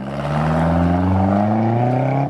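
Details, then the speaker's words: Crown Vic after repair, running again; smooth even engine note climbing gently with throttle, no ticks or knocks, healthy; still needs a ball joint and front struts. "well there you go it's fixed and it's running it's actually working she works good eh"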